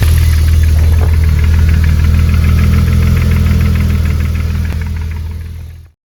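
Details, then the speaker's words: BMW E36 drift car, cold start at idle: fast, steady ticking clatter over the six-cylinder rumble; viewers suggested lifters (poussoirs), but owner doubts it and the noise persists after repeated longer runs; cause unconfirmed. "j'ai continué de démarrer la E36 plusieurs fois dans la semaine laisser tourner plus longtemps et tout pour voir si c'était lespousoir ou ce que ça pouvait être d'autres et le souci est toujours pareil il y a toujours le claquement"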